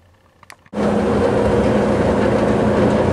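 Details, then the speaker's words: Whirlpool gas dryer (model LX15501A1) after replacing the thermal sensor switch for a no-flame fault; a couple of faint clicks, then the dryer runs with a steady, even hum and tumble: normal running. "so I just heard everything's working properly now"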